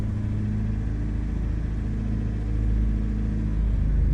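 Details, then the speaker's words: 2004 Daewoo Lanos, idle vacuum -44 with throttle applied: heavy, uneven lumpy rumble with strong vibration as revs creep up; running on two dead cylinders. "Шукаємо проблему. Автомобіль троїть, дуже сильно вібрує."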